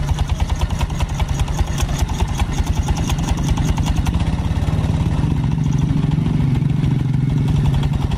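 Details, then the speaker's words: Yamaha Mio Soul automatic scooter that will not move, has been snapping V-belts and runs noisily, heard idling with a slightly rough, uneven pulse and faint clatter. The front or middle engine, piston block or con rod is suspected, unconfirmed. "Ya tapi ini juga ada bermasalah di bagian mesin tengah dan bagian depannya karena suara mesinnya terlihat Terdengar agak kasar"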